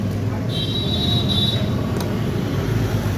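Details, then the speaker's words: Room heater fan with its retaining nut slightly loose, before tightening: heavy low rumble under a steady whir as the wobbling blade spins and makes a lot of noise. Tightening the nut stops the wobble and the noise. "ये देखिए, इसका नट हल्का सा ढीला है। पंखी हल्का डाल चल रही है, इसीलिए आवाज़ कर रहा है बहुत ज़्यादा।"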